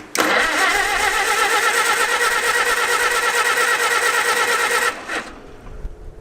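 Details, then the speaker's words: Revived Farmall H after a faint spark was restored, throttle open, with the updraft carburetor needing fuel poured in: a steady whirring crank for about five seconds that never catches, then stops. It cranks but won't start. "my throttle is open the updraft carbs is going to need a good puddle of fuel"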